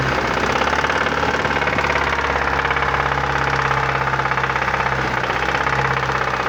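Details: Opel/Chevrolet Vectra Challenge engine: even, fast knocking over a steady idle, rhythmic and persistent throughout; an abnormal internal knock whose source isn't identified yet.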